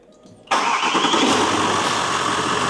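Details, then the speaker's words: Range Rover L322 started after replacing a squealing fan belt and fixing an oil cooler leak, coolant just refilled: cranks and catches in under a second, smooth even idle, no belt squeal or chirp; belt noise gone, normal start. "ooh that sounds better yeah belt noise is gone straight away"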